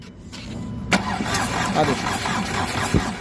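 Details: VW Polo 1.2-litre diesel, no start after major repair, with timing being reset: starter turns the engine over with uneven chuffing but it never fires; a cylinder/internal fault is suspected, not confirmed.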